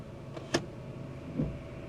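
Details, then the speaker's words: Car just back from costly repair, hood open, engine idling quietly: shifting into gear gives a single sharp clunk then a softer thud; owner blames worn-out suspension and steering, not confirmed. "that clunk you heard is just worn out suspension and steering and all kinds of [ __ ]"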